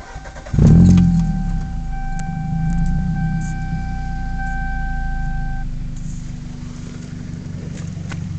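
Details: Toyota 5S-FE engine: catches and settles to a steady low idle with a thin high whine for a few seconds that then drops out; a weird noise of unclear source.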